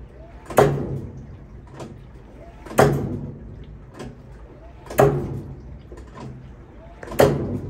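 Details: GE Hotpoint top-load washer, model HSWP1000M3WW: heavy thump about every two seconds with fainter knocks between, during rinse and soak cycle; cause unknown.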